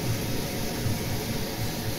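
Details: Roca Victoria natural-gas boiler after the faulty temperature probe was replaced: steady, even low roar of the burner firing normally, with no knocks or whistles.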